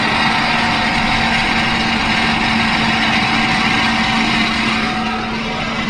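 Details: Camper van at idle: steady whine with a constant tone from the front of the engine, accompanied by a distinct odor. Owner suspects a bad bearing burning up its grease, or belts; not confirmed.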